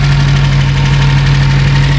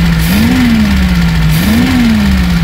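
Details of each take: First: Reliant Supervan after carburettor cleaning and fuel pump pipe correction. A steady, even tick-over at a fairly brisk, constant pitch, meaning the idle is set slightly high. It is adjustable at the carburettor thumb screw. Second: Reliant Supervan after carburettor cleaning, with the fuel pump swapped and its pipe moved to the correct port. The engine idles smoothly, slightly high, and revs cleanly twice without stumbling, so it idles and revs well.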